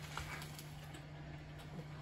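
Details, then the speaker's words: Baumatic BDI1485D4E washer-dryer, a street find, on a 30-minute rapid wash with only rags inside and the water supply accidentally off: a quiet, steady low hum with no water sloshing, the drain pump running dry. "it sounds like it's pumping the pump's dry let's check"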